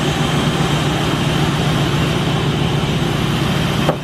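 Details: 2005 Chevy Express G2500 with the 6.0 gas V8, idling after a water pump replacement and coolant refill while it warms to open the thermostat. A steady, even low rumble with no knocks, ticks or squeal: a normal idle.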